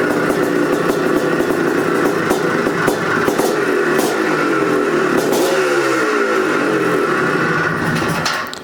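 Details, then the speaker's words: 1984 Can-Am MX500 Rotax two-stroke ice racer, original pipe with aftermarket silencer, first kickstart in years: loud, uneven popping at fast idle with throttle blips and booming exhaust hits, then shut off; runs healthy. "It runs. And it sounds thirsty."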